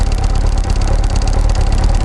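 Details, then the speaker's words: Kawasaki ZX6R Ninja at idle before replacing coil packs and HT leads: fast, light, annoying clicking/ticking over the engine note; owner says the coil packs were going bad and clicking loudly. "today I'm going to be changing the coil packs and HT leads on my Ninja to get rid of this annoying clicking sound you can"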